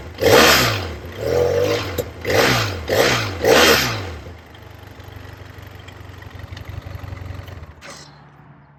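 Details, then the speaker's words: BMW F800 parallel twin, just bought: five quick throttle blips, then a settled, even, lumpy low idle with a tractor-like beat, like a two-stroke crossed with a tractor; running healthy. "you could hear that. It sounds a little bit like a two-stroke crossed with a tractor."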